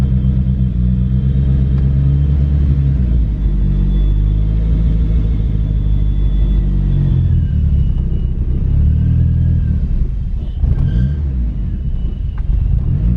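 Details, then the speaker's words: Mitsubishi Talon DSM, first start after head gasket and transmission rebuild, lightweight flywheel, S90 throttle body; engine revs freely but idle sags, hunts and stalls, running rich, air-leak-like sound, bypass screw setting wrong. "yeah it can't even idle right now and this a really interesting sound coming from somewhere sounds like a air leak or something"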